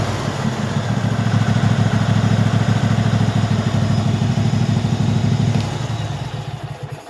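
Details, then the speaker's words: Craftsman hydro tractor V-twin, previously hard to start and running only on spray, after carburetor cleaning and replacing the carburetor bottom solenoid: deep steady V-twin thump at speed, easing off near end; runs fine now. "I changed out that little solenoid thing on the bottom of the carburetor and obviously something was wrong with it because it's running now"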